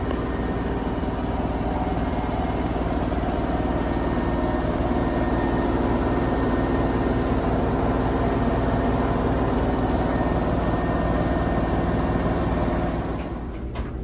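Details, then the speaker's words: Samsung washer on its finished spin cycle after installing a new flange shaft and bolts (the old shaft had come apart): a steady high-speed even hum, no thumping or banging, balanced and quiet; repaired, normal spin. "That's on the finished spin cycle. Nice and quiet. Look at that, ain't shaking. Not bouncing around everywhere."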